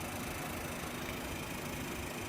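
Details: Window-frame air conditioner after disassembly and cleaning of mold: even rush of air over steady low hum, no rattles or scraping, airflow noticeably lighter; running normally.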